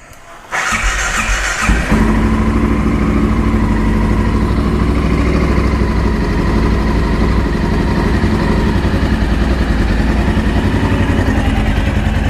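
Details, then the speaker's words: 2012 Honda XR650L with FMF Q4 exhaust and smog kit removed, started after a valve adjustment done for valve ticking (valves previously found too loose); catches after a short crank into an even, deep single-cylinder thump with no tick, sounding healthy. "sounds a little better"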